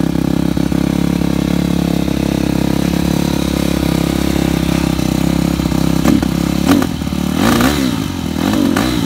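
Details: 2013 Yamaha YZ250F before teardown, starts on the third or fourth kick: single-cylinder thumping at a fast, steady idle that sits a bit high, with a few blips near the end; carburetor tuning is suspected rather than valves.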